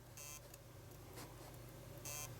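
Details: Xbox 360 with red ring of death, during repair attempt with power cycling and error lights flashing: steady low electrical buzz under short bright beeps; suspected power fault on console board, unconfirmed; a capacitor found knocked off.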